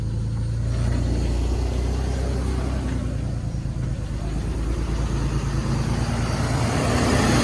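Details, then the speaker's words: 2002 BMW 530i E39 after PCV system and coolant hose replacement, idling a little after a rough restart and warming up: an even, low rumble with a steady pulse and no knocks or misses; it sounds good. "Everything sounds good."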